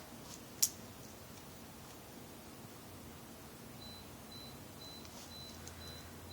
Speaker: if you hear that sound that beeping sound that's just our dehumidifier um saying that it's full but i'm not going to re-record this because it takes a while to do this so we're just gonna have to deal